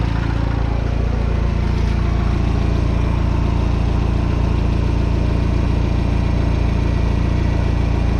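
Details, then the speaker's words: Citroen DS3 after turbocharger replacement, restart after earlier clunking: smooth, even low idle with no clunks or rattles, sounding better; no leaks so far, turbo likely oiled, though odd sounds and a suspected leak remain. "So far everything is dry, and this time it sounds better. Should be enough oil in the turbo right now."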